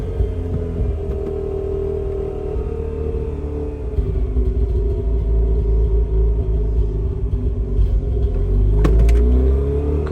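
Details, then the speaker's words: 2004 Mazda RX-8 track car on a makeshift intake manifold, third start after clearing DTCs: low, lumpy idle that sags and hunts unevenly around 1,000 rpm, rumbling as if about to stall; rough idle, cause still being diagnosed. "Once I let it go to like 1,000 RPMs, it does that. See? It just wants to die."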